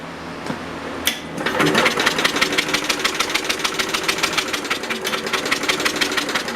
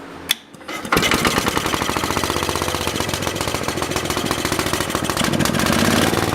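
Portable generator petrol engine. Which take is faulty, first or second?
first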